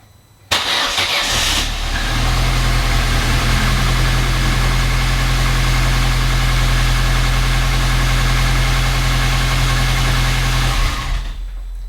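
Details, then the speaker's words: Vauxhall Corsa petrol engine on a cold start after sitting a couple of days catches after a brief crank and settles into a steady, even idle; its clicking throttle body fault and hard starting are fixed. "sounds pretty happy since I've been having these problems it's been a lot of cranks to start as in like a lot a lot a lot but that's a cold start that's not been started for a couple of days"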